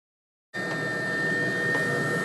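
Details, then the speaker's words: Webasto diesel heater on a homemade 555-based replacement controller, low setting after screwdriver adjustment adding more fuel on low: smooth steady burner and fan roar with faint whine, no surging; stable low burn. "Okay. Well, it seems to be running steadily lower now. It's maintaining a stable bonus."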